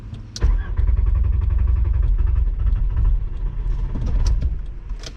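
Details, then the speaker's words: VR5 Savoy on its first drive, stalled and won't restart: starter cranks steadily for several seconds and it almost catches but never fires. "it's almost starting it's close this is a horrible spot"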